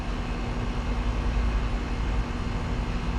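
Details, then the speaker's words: Split-system HVAC condenser running after condenser coil replacement (old coil restricted, causing high head pressure shutdowns), slightly short on refrigerant with low subcooling: steady low hum and even fan rush, no rattles or surging; running normally. "overall it's running good my sub cooling is a little low uh due to being just a little short on refrigerant"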